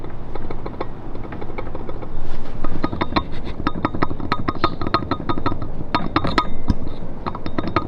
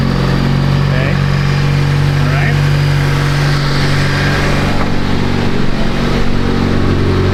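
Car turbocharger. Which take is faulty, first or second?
first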